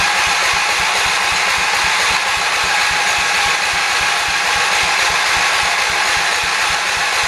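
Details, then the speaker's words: 1978 Shifting Gears 208 tractor after head gasket replacement, choked with gas in tank: steady fast cranking with good compression but never catches; owner suspects no fuel delivery or a plugged carburetor jet. "we are either not getting gas or something is uh one of the jets in the car is plugged up that might be our issue sounds like it has compression though which is good"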